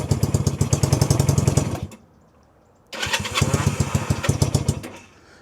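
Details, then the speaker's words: 1965 Honda CB160, 161cc air-cooled parallel twin with cut exhaust pipes, cold start on choke after sitting: fires unevenly, stalls, then stumbles before settling to idle; owner suspects too much fuel and a dead cylinder. "Takes a minute to get her started. Once she starts, it's pretty cold blooded machine, but it's idling pretty good now."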